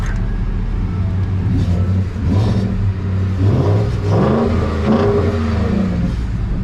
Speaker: she sounds damn good too if not go front sounds damn good